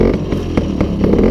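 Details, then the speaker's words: Newly bought Peugeot 103 SPX/Clip moped on its first restart. A loud, buzzy two-stroke beat picks up and settles without misfires or clatter. It starts and runs fine. "J'y crois pas. Vous voyez pas mon sourire, les amis, mais j'y crois pas. Excellent. Ça tourne."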